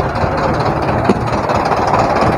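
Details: Diesel truck after replacing its two old batteries, which had been dropping voltage on the 24-volt system during cranking: it settles into a steady, even clatter with no misses or stumbles, running normally.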